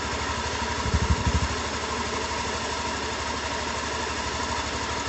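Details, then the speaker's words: Honda Beat injection scooter idling on its stand with a rough, churning rumble like water about to boil in a pot, steady with the engine's beat. A rough-sounding engine with the cause suspected, not confirmed; a worn pulley bearing is also mentioned. "suara mesin sangat terdengar seperti Gem rengseng apa Gem rongseng rontgen kayak air didalam panci mau mendidih gitu air didalam panci mau mendidih itu suarane Gem rangsang kayak gini nih"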